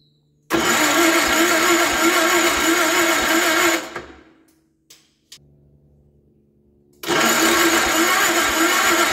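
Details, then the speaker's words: Gravely 814 tractor that sat outside for years, with the battery charged, a new key switch fitted, the choke on, and the oil still low. Two long runs of steady cranking with no firing; there is power when cranking but no spark. Spark later proves intermittent. "choke still no spark got power there now have power there when cranking"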